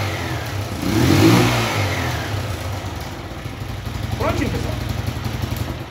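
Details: Honda Fan 125 that would not start, after splicing a longer wire, battery fully discharged: engine catches and settles into a steady low putter with one rev blip; starts and runs normally.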